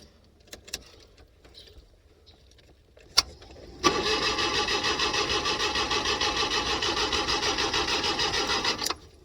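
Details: LPG-fuelled car on a cold morning that would not start: steady starter churning at about three compressions a second for five seconds, never catching; the LPG mixture regulator was open too far, flooding it rich.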